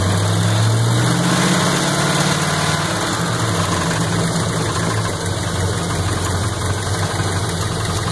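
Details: 350 V8 at steady idle with an uneven knock about three to four a second over the rumble; owner suspects rod knock, unconfirmed.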